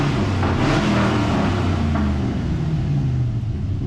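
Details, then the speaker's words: Rare Chevrolet Silverado SS pickup driven at low speed, with no muffler suspected. A deep, loud, uneven V8 rumble, far louder than stock; the exhaust sounds open and poorly silenced and was called horrible. "sounds like the guy that works next door to me in his nasty vehicle. It sounds horrible. Well, everybody in this town has no muffler."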